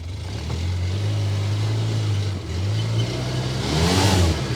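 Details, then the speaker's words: 2011 Polaris Ranger 800 XP after repair of its all-wheel drive, which previously made horrible noises: a steady engine hum with a brief dip and rise as AWD disengages and engages, smooth with no clunk or grind. "kicks out kicks in [Music] good yeah seems to kick in out of full drive good"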